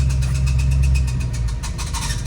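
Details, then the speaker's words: 1966 Mustang with new Blueprint 347 stroker, clutch and flywheel came already on engine: heavy low idle rumble turning to a rough, uneven growl when the clutch is pressed; a friend suspects the throwout bearing, unconfirmed. "So yeah, now I am getting that sound every time I push my clutch in. I tell my buddy about it and he thinks it's the throwout bearing."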